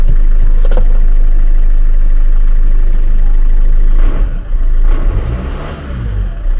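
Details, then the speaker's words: Land Rover Freelander 2 after throttle body fix, first start; catches and settles into steady even low hum with light throttle blips, no misses or rattles; runs clean, fix not yet confirmed by driving. "It works anyway. It runs, but I I ain't 100% sure it's fixed obviously cuz I've got to drive it."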